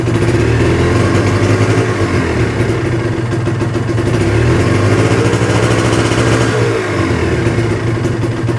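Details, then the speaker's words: Kawasaki Ninja two-stroke with stock exhaust and slightly weak battery, crankshaft freshly worked on: crisp buzz rising and falling smoothly with throttle, no knocks or rattles; still sounds cool and healthy, free-revving normal running. "Waduh terdengarnya m e masih adem ya guys ya terdengarnya adem gua berani lbayer karena knalpotnya standar ya guys ya"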